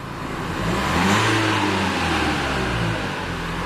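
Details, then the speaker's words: 2016 Renault Kadjar 1.5 dCi (K9K) diesel, stationary, throttle applied again after idle: revs rise a little then bog and labour. Loses power on pulling away since a service; intake airflow restricted by an incorrectly fitted air filter. "Basically, when you drive this car, as soon as you go to pull away, it just absolutely dies on you."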